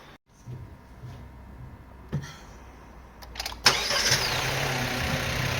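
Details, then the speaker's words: Chinese MG that arrived with a detonation problem, after injector cleaning and a new injector: the starter catches, the engine fires cleanly and settles into a steady, even idle with no stumble. The car now runs smoothly. "Mana mashinamiz zavat bo'ldi, motor tikka ishlayapti, soat cho'tki bo'ldi."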